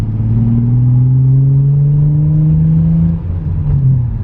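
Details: Nissan 350Z, warm, after a faulty coil pack was replaced and a dirty MAF cleaned, in a freeway pull: smooth, even engine note rising steadily with no stumbles or pops; normal acceleration with no misfire or check-engine light.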